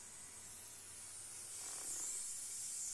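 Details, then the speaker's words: Zenith 25MC36 TV at power-up after a solid-state rectifier replaced the high-voltage rectifier tube, which had no filament voltage: a sizzling corona hiss that builds as the high voltage runs too high or its regulation fails, with a blue glow. "It appears the high voltage is much higher with the solid state rectifier, or the high voltage regulation's not working."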